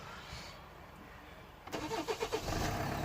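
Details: Hyundai Santa Fe 2.2 CRDi diesel with a no-start wiring problem: quiet, then a few quick cranking beats before the engine catches and settles into a steady idle; it starts normally.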